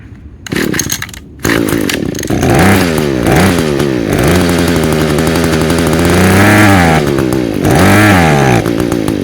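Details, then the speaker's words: Echo two-stroke with Zama carburetor, already rebuilt with new diaphragms and intake gasket, main jet screwed fully out: revs surge and sag, runs only on near-full choke and dies without it. "It'll run on partial choke. Actually full almost full. It'll run on partial choke, almost full choke. If I take it off of choke, it will not run."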